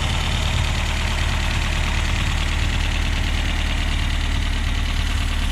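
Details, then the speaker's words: 1969 Reliant Regal 850cc small four-cylinder on test after hours of tinkering: fairly even, quick tick-over with no heavy knock. Water pump pulley sits 5–6 mm out of line with the crank pulley. Healthy idle. "a few hours of tinkering and messing around we found that this engine does tick over nice"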